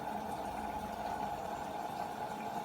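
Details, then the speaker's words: Beko WM5100W washing machine on 40° cottons test wash with workshop rags: steady, even hiss of cold-only water filling the drum, no knocking or grinding. Normal cold water fill. "there's the cold water coming in"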